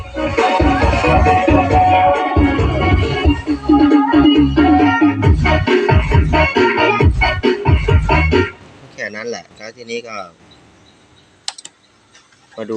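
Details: NAKOYA CX371 amplifier after repair, where a switch was replaced to cure one hoarse, distorted channel: music full and steady with no crackle or hoarse rasp on peaks; amplifier output normal.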